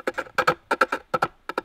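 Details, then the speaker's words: Pole lathe, cutting a foot on a freshly axed, rough bowl face: short paired scraping bursts about every half second, not a full cut, from high spots hitting the tool. "and you can hear that this face is just axed. It's rough. That's why it's. You can hear that sort of not full."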